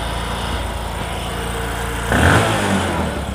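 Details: Discover motorcycle in a clip on mileage and engine sound problems: a smooth, regular idle, then a clean throttle blip near the end that rises and settles without rattle; it runs healthy.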